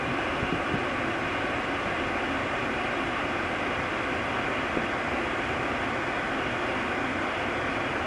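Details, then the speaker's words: 2008 Mercedes CLS 550 after replacing the squealing AC blower motor (passenger side below the glovebox), AC turned up: smooth, constant rush of air with no squeal or chirp; the blower sounds healthy. "I'm not hearing anything and not hearing that squealing here I know the real test will be over the course of the next several weeks but I think we'll call this a successful project"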